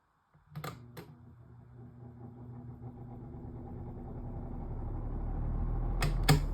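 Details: Galaxy 2150 making weird rattling noises: a steady hum grows louder while a loose, clattery rattle ticks about four times a second.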